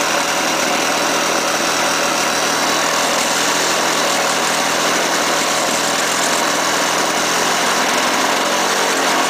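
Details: Lawn-Boy 5127 mower after 10 years sitting, with the fouled spark plug replaced and gas squirted into the intake: loud, steady, buzzy two-stroke drone at even speed with no stumbling; running properly.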